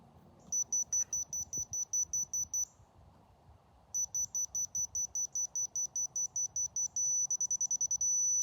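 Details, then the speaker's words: Dovoh DR1 laser receiver catching the laser line at about 275 ft: quick high beeps speed up and merge into one steady unbroken tone, receiver right on center, on grade. "right there is center right on center"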